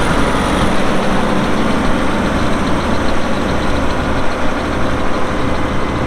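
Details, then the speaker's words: 2002 Volvo G736VHP motor grader, Cummins diesel, showing 6,691 hours (hour meter not working); heavy diesel holds steady even idle with deep low rumble, no knocks or misses, normal running. "it does start up and run good you'll hear that here in a little bit when we fired up and do the operational video"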